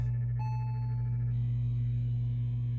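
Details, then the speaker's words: Stern Galaxy pinball machine after sound issue fix, driver board upgrades and volume turned up: steady low hum, then a clear electronic startup tone for about a second; sound output working again. "uh did you hear that we have sound okay let's um start a game here"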